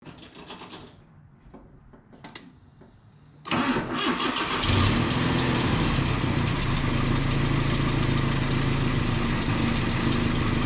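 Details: 1988 Nissan D21 pickup cranks, catches and settles into a lumpy, uneven rough idle caused by a vacuum leak, vacuum line repair.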